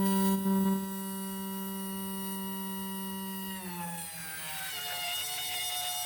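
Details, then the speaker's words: 1971 GMC C10 with LS 5.3L swap, electric fuel pump powered temporarily from a power-tool battery, priming with some old gas in tank: steady high-pitched whine that drops and wavers near the end; loud fuel pump whine, no leaks. "There's a little bit of kind of bad gas in the tank, but we'll check for leaks. I've heard these pumps are incredibly noisy."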